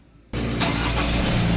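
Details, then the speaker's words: 2003 Ford Ranger automatic, hot restart after 45 minutes running, which previously started very hard when hot: engine fires almost instantly and runs steadily with no long cranking; fixed by cleaning the camshaft sensor; normal hot start. "so aan po mga kalbaryo wala ng hard starting ngayon Ayan oh engine off Balik Balik engine start observe lang po tayo mga kalbaryo start Ayan po mga kalbaryo umaandar na ang makina at wala ng long cranking"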